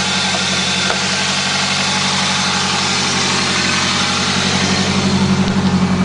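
Quick, regular chirp about four times a second over a steady idle; some squeak from the engine front, source not pinned down.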